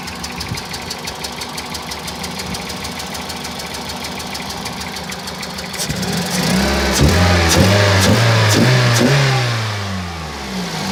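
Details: 2001 Toyota Celica VVT-i, 140,000 km, codes P0300, misfire cylinders 2 and 3, occasional P0420: uneven stumbling idle pulses smoothing as revs climb; engine wobbles at low revs, worse when warm; misfire.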